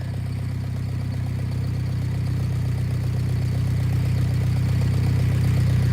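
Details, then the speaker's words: Tractor restarted without choke after clearing the carburettor jet, previously dying when idle was lowered: low, even idle, steady two to three pulses a second, no stumbling or dying; normal idle. "Start it up, no choke. Much better. Much better. Yes. And it's not dying now when I put it down here."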